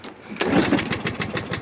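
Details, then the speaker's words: Briggs mower engine after converting a plastic carburetor from primer to autochoke and cleaning it, run with the air filter off. It sputters and stumbles roughly on first start, then runs fine; old oil comes out of the vent hose. "so you can hear it doesn't sound very healthy when you go to first start it and once it kind of you know i mean"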